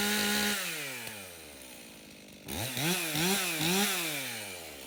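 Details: Stihl MS 391 chainsaw, customer-reported no-start, run on fresh two-stroke mix: clean low idle, then three crisp throttle blips before settling again. It runs fine; stale watery fuel is suspected as the cause.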